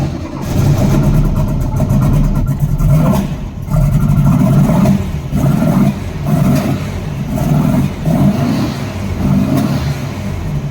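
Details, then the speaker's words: 1964 Volkswagen Beetle in neutral after fuel filter relocation and new spark plugs: repeated throttle blips with sharp pops, seemingly from the carbs, worse under load when accelerating; backfire on revving, cause unclear. "when you rev it up there's a nasty like pop um and it sounds like it's coming from the carbs I'm not sure um but as soon as you like put the engine under load like try to accelerate it's um it gets a lot worse"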